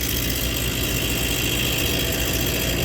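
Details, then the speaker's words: Prep table multiplex (two regions, one condensing unit), top section not working: compressor on 208 V draws 17 amps, tries to pump but sounds rough, trips thermal overload and retries; starting components wired correctly, condenser fan running; something internally bad, locking up. "but yeah this guy has got uh something internally bad it's locking up but something's going on in there"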